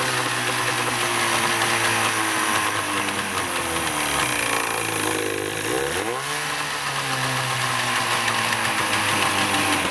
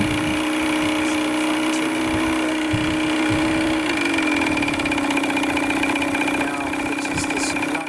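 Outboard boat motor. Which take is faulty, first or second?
first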